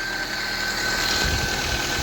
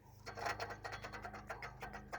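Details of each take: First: Daihatsu Sirion first start after replacing the water pump, which had caused overheating; fresh oil and coolant. Settles into a steady, even idle with a smooth low hum and no grinding or knocking; running healthy. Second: Daihatsu Sirion that overheated. With the fan belt removed, the water pump pulley is turned by hand and gives rough, gritty rasping in uneven strokes from a failed bearing. The pump was the cause of the overheating and was replaced.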